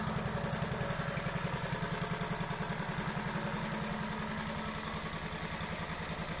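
Steady, even popping idle around three and a half beats a second with no misses or rattles; rebuilt engine sounds healthy.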